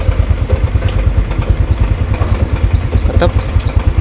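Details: Motorcycle with recurring dead batteries during charging check, battery reading about 12 V at idle: low even thumping idle around three beats a second, no misses or rattles; healthy.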